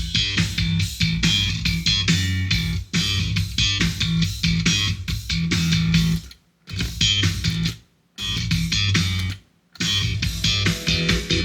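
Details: Behringer Studio L monitor controller after cleaning and repairing its crackling, intermittent A-switch, final test fully reassembled: guitar music plays cleanly in bursts with silent gaps, no crackle or dropouts on the output.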